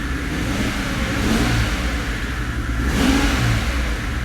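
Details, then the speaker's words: 2005 Mercedes CL65 AMG twin-turbo V12, first start after a 50-hour engine rebuild, no coolant: lumpy, uneven, shaky beat when blipped, smelling fuelly and very rich; the engine is misfiring, and the owner wonders whether one bank isn't firing. "it's definitely misfiring smells kind of fuelly right"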